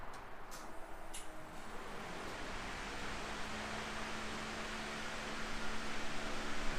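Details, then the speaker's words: Trans Am right after coolant temperature sensor replacement: a steady airy whoosh with no engine running as the radiator fan runs with key on, engine off and AC off; it stops at key off, which the owner finds unexpected. "All I did was put the key in the on position. We're back in the car, and the AC is not on, so I don't think the fan should be on right now."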